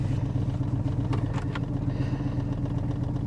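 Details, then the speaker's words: Salvage auction vehicle with aftermarket coils and every dash warning light on, just started: steady low engine drone with an uneven, lumpy beat at idle; it runs rough, cause not known. "She runs pretty rough."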